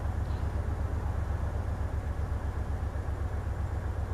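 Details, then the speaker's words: Hyundai Terracan at idle during cylinder cut-out test: deep, lumpy uneven beat; disabling cylinder six gives no rpm drop, so number six is a dead cylinder causing the misfire. "definitely nothing dropping on number cylinder six number six cylinder has no drop"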